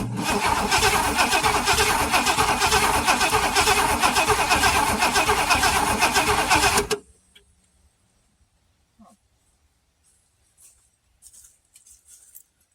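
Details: Long-sitting classic Oldsmobile Toronado with spark confirmed at the distributor and new-looking plugs, after starting fluid was sprayed: about seven seconds of steady cranking at roughly three turns a second that never catches; cranks but no start.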